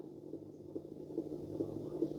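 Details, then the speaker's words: Vintage Rembrandt record player with metal platter, first power-up: low, uneven rumble with a faint wavering hum as the turntable spins; worn motor bearing noise, though it still works. "You can hear the bearing noise. Oh, that's just volume. There's our speed."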